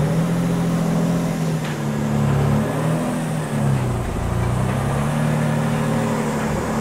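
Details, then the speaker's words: 1997 Mitsubishi 3000GT SL, non-turbo, first start after an automatic-to-5-speed manual swap with new clutch and throw-out bearing: smooth, even engine note rising and falling cleanly with throttle blips, no knocks; normal running. "It was an automatic, now it's a 5-speed. All right, let's fire this bad boy up and get it out of here. Now it runs, now it purrs."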